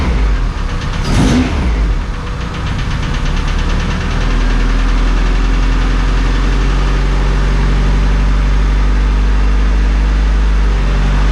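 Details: Honda Civic Si after engine rebuild, first start after a new ignition coil fixed the no-spark: it fires instantly, runs a little rough, then settles into a steady, even idle. No coolant in yet.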